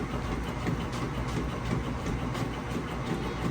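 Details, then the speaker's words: Whirlpool top-load washer agitating a load with water and soap; rhythmic swish and chug, roughly three strokes a second, smooth with no banging or grinding, normal agitation. "Sounds great, nice smooth operation."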